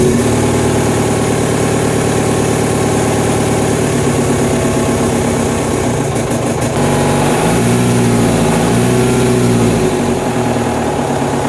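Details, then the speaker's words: VW MK1 Rabbit TDI diesel with replaced engine, idling after starter replacement: clattering metallic rattle over the normal knock, rising with a blip. Source not found; fuel pump suspected. "Oh jeez. Well, death rattle is still present, which honestly makes me wonder if I'm looking in the wrong places for it."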